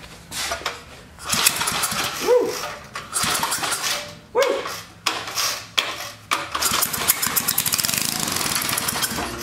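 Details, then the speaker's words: Old Sensation flathead cemetery mower on carb spray: several cranking bursts, then it catches with a quick even popping beat and dies; old gas suspected, possibly needing a carburetor rebuild. "and dies that gas might be old in it might have to rebuild the carpetrator"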